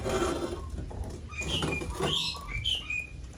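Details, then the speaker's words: Pacific Magenta electric bicycle, swingarm cover removed to check the rear shock: short high chirping squeaks each time the rear is pushed down; lower shock mount bolt overtightened, loosened to fix. "Nah, ini kita cek lagi apakah suaranya ada di bagian sini."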